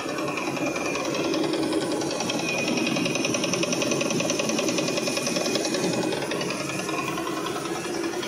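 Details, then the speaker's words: 2019 Ford F-150 3.5 L twin-turbo V6 running with quick steady metallic ticking, check engine light, P0022 bank 2 camshaft timing over-retarded and P052D; timing chain and cam phasers breaking apart. "So, if you're getting these noises in your 3.5 L Ford F-150, uh, this is probably and it's coming from the engine area, it's probably going to be this timing chain stuff."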